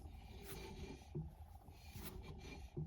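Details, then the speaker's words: Skoda Fabia 2 rear drum brake, handbrake released, wheel spun after a few brake-pedal presses: a faint scrape about every 1.5 s. Suspected uneven handbrake equalizer; the other side was cured by replacing the handbrake cables. "Но стоит пару раз надавить на тормоз. Опа. Ручник опущен. На тормоз надавили. Слышно, подтирает."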